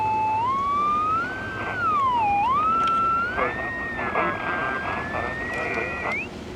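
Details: Mid-1960s General Electric P780 battery-powered AM radio, found dead, audio amp working: loud whistling tone slides up and down like a siren and never settles; radio oscillating, cause not yet found.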